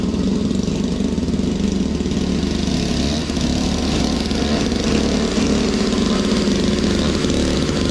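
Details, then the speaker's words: Toro Powerlite single-stage snow blower, model 381182, 98cc two-stroke, warmed up; clearing sidewalk snow, steady even drone holding speed under load, no surging or missing; normal running under load. "don't know, I think it works pretty good. It doesn't throw it real far, but it still beats the shovel, that's for sure."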